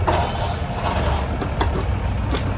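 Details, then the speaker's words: Bucket (portable) washing machine after home timer replacement and reassembly, timer switched on; impeller spins fast and reverses in both directions, connections correct. Steady low motor hum with occasional light clink as the drum turns; normal running. "Okay, ಈಗ ವಿಡಿಯೋದಲ್ಲಿ ಕ್ಯಾಮ್ರಾದಲ್ಲಿ slow ಆಗ್ತಿರ್ತದೆ ಅಂತ ಕಾಣಿಸುತ್ತೆ, but live ನೋಡಿದ್ರೆ ತುಂಬಾ speed ಆಗಿ rotate ಆಗ್ತಾ ಇದೆ."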